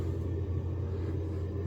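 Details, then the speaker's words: Residential tankless boiler on a no-heat call at 7°F, running after dead thermostat batteries found and zone called for heat at 72: steady low hum of boiler firing with circulator pump running smoothly, no knocks or rattles; operating normally. "This circulator is getting hot and our tankless boiler right here is producing hot water"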